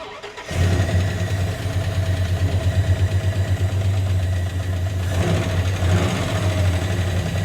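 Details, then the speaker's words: 2005 Dodge Ram SRT10 with Viper V10, owner reports tick-tick noise: heavy, lumpy idle right after start, a light tick possibly under the rumble, source not yet known; engine ticking. "unfortunately it's got a crazy noise we have an 2005 Dodge SRT10 some of you may know what that is but basically it's a truck with a Viper engine in it and it sounds terrible"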